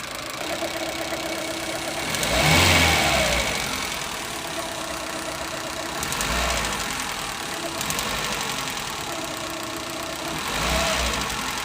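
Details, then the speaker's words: Suzuki Eeco with overheating and misfire, light revs: revs swell and fall with an on-off clicking stumble; misfire; fan cycling normally, radiator leaking coolant. "but if you hear the engine you'll hear click on and off i'm sure you'll be able to hear it"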